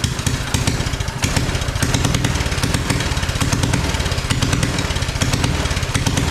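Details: Mini bike after carburetor swap, running on fuel: small single fires steadily at a fast idle with a slightly lumpy, burbly beat; it runs but sounds rich.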